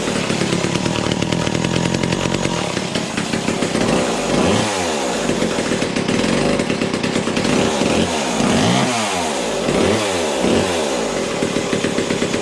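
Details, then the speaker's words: Vintage McCulloch top-handle two-stroke chainsaw (about 37 cc), new old-stock bar and chain: buzzing and blipping, chain doesn't stop at low revs even with idle turned way down; owner suspects worn clutch springs. "we're gonna fine tune this i think the clutch springs may be gone turn the idle way down the chain was still spinning"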